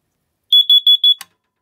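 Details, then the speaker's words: System Sensor hardwired 24-volt carbon monoxide detector near the oil and natural gas boiler, fire alarm system test: four quick high beeps then a click as the CO detector alarms, with a five-second delay before strobes activate. "I forgot that I put a five second delay on the CO detector for when it activates the one strobes and that's so if I'm in that area I'll hear it beeping before it goes off so I know it's Co"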